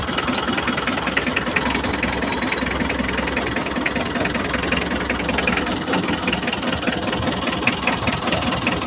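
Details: Mitsubishi L300 diesel at idle, owner complaints of low power and high fuel use: irregular stumbling knock instead of an even clatter; rough diesel idle, later traced to clogged injector nozzles.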